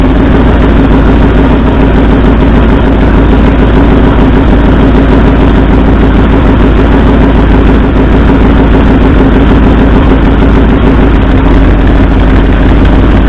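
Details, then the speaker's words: 1964 Ford F100 V8 idling during a plug-wire-pull contribution test: a loud, stumbling, lopsided beat with dropped pulses. Driver's front and passenger second cylinders show no RPM drop, so two cylinders are not firing. "and the second cylinder back on the passenger side, also no RPM change. So it appears we have two cylinders that aren't firing."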